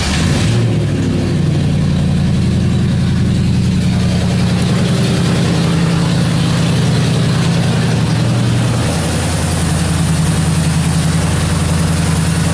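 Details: 1977 Mercury Marquis, Ford 400M V8, idling after new spark plugs and plug wires and distributor corrosion cleanup: steady, even low V8 rumble with no misfire, tick or knock; running pretty good.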